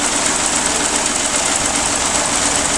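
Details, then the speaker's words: Geo Metro three-cylinder engine after drivetrain restoration, running about a minute after first start: steady even idle, smooth light buzz, no knocks or rattles, quiet; normal idle. "looks like she's gonna be a good runner yeah it runs real nice nice and sweet quiet I'm happy with this"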